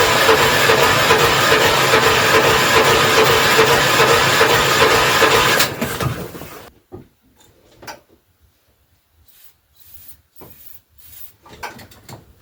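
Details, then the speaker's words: 1980 Yamaha G1 golf cart with Predator 420 swap, sat outside for months, cold weather, full choke, car battery jumped: steady even cranking about six seconds, never catches; no start, later traced to fouled spark plug. "Well, guys, I've cranked on this for quite a while now, probably a good half an hour, and it doesn't look like it's going to start. I think it's just too cold out."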